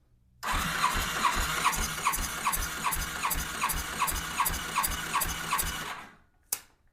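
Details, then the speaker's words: 2007 Yamaha FJR1300 that lost a cylinder on a ride, compression test on cylinder 4 with throttle wide open: even strong cranking about two and a half beats a second; cylinder 3 about 215 psi, cylinder 4 about 219, healthy; cylinder 2 suspected dead. "So, cylinder 3 has about 215. Cylinder 4 has 219."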